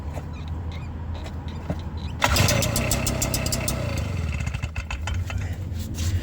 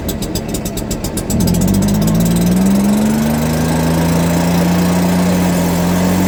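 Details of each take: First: Stihl BR340 backpack blower two-stroke, pull-started during teardown: rattle, then it catches with a rough sputtering burst and dies, showing spark and compression are present; it turned out to need only a new carburetor. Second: Stihl BR340 backpack blower after teardown, cleaning and carburetor work, on the customer's old fuel with no carburetor adjustment: quick ticking idle, then a clean rise to a steady high drone without sputter; running properly.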